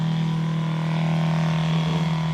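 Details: Small one-gallon-per-minute water pump filling a six-gallon RV hot water tank during a bench test: steady even low hum, no surging, knocking or rattle; pump running normally.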